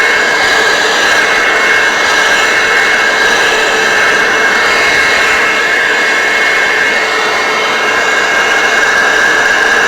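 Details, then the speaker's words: Hoover Turbopower Freedom U2262 vacuum cleaner after cleaning and refurbishment, first power-up; steady even motor whine with high singing tone, no rattles or surging, sounding better as it wears in; normal running. "yeah that sound a bit better right so we know that it works"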